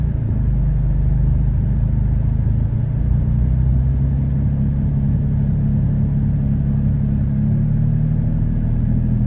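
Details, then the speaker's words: 2013 Dodge Durango V6 with P0300, misfires on cylinders 1, 3 and 5 despite new plugs and coils on that bank, timing checked: uneven, stumbling low idle with irregular dips over steady rumble; misfire, cause not found. "there's no misfire but there other the three two one three and five they pretty bad they all misfiring"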